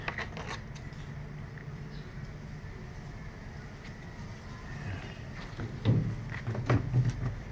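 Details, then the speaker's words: Electrolux automatic washing machine, suspension previously replaced: low rumble with uneven thumps and scraping during spin dry, the tilted tub rubbing and knocking where it has worn through a hole; tub scraping and banging during spin. "so problem niya makabog siya sa spin dry Kasama rin yung cleaning niya So y butas na rito so kakabog niya kumakayod siya rito"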